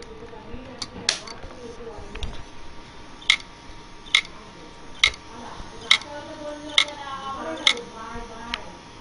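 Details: Hitachi 40GB IDE hard drive: sharp bright clicks repeating slightly faster than once a second, the repetitive head-clicking click of death.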